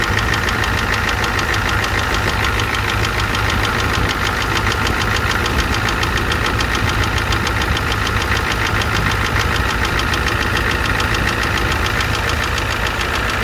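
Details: 1988 Ford F250 7.3L IDI diesel at idle: rapid, even rattling knock over the idle without letting up; engine knock with a high-pressure fuel line leak, white/grey exhaust smoke, smoke from the oil dipstick, oil in the add zone.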